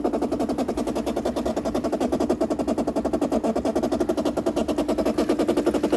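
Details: 2008 Bosch dishwasher, about 12 years old, filling with water: a fast steady buzzing chatter over a low hum, with the inlet valve visibly shaking. It leaked and overflowed; replacing the inlet valve seemed to fix it.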